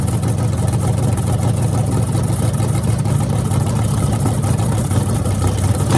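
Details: Freshly rebuilt small block Chevy 350 (355) for an OBS Chevy truck, on an engine run stand with open headers: deep even rumble with a crisp throttle blip at the end. Normal, healthy running.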